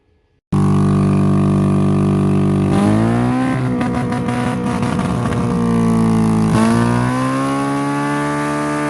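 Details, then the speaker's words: Derby-damaged Honda Civic, believed to be a 2001, spark and timing checked, concrete mix fed in to kill engine: uneven drone, pitch sagging with ragged flutter; owner suspects concrete is killing compression, not sure. "it might be killing compression but I'm not sure we'll have to keep trying I suppose oh it doesn't sound like it has a ton of compression we're not done though"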